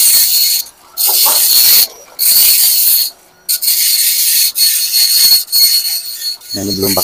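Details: Epson LQ-2190 dot matrix printer after repair, formerly beeping alarm with no movement: rapid high buzzing print passes, short pauses between lines, carriage click; printing evenly, normal.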